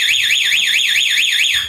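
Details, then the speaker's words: Motorcycle with a DIY anti-theft alarm (5-pin 12V relay, on-off switch, LED flasher, diodes): with the switch on and the ignition tampered with, a loud shrill siren sweeps up and down, then dies away; all four turn signals flash and the engine cannot start. "Lampu sen keempat-empatnya menyala, depan belakang, dan buzzer berbunyi."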